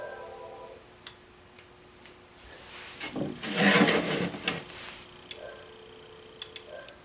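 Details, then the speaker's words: Phone line after installing a Viking RG-10A ring amplifier, on the run to the living room, where one jack serves two phones including a cordless: short buzzy ring bursts come broken and uneven. Polarity issue suspected, not confirmed. "I'm getting a very odd ring pattern out of one of my lines, the run that goes up into the living room. I suspect that it's some kind of polarity issue perhaps."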